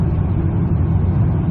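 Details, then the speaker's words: Mazda CX9 (2008 per description, 2011 in speech), about 108,000 miles, climbing a slight grade at low rpm after LubeGuard shudder-fix additive: steady low drone, no pulsing or judder. Converter lockup is smooth, shudder gone. "no sign of this problem that exists that I've had for a year now"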